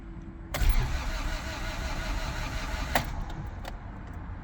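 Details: Honda Civic EF sedan after timing belt had jumped and was refitted: starter spins engine steadily for several seconds but never catches; crank no start, owner suspects timing still off, camshaft bolt found loose.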